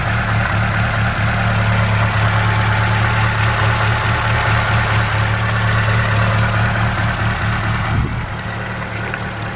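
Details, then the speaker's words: Ford Capri Cabaret engine after timing belt snapped at 50-60 mph and new belt fitted: even steady low thrum at 1,000 rpm, oil pressure up, smooth regular beat with no knocks or ticks; healthy idle, valves apparently undamaged. "But, um, yeah, it sounded sweet. So, I'll give it a run for you. There we are. 1,000 RPM. Oil pressurees up there."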